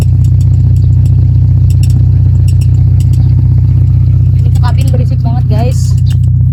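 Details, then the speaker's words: 1992 Toyota Starlet 1.3L with a straight-through racing exhaust, at idle: a heavy, steady low boom droning through the cabin, far louder than stock, and something at the rear rubs and squeaks on every rock. "Guys. Berisik. Dan di belakang juga eh secara fisiknya ada yang kegesek-gesek jadinya mendericit terus gitu setiap bergoyang."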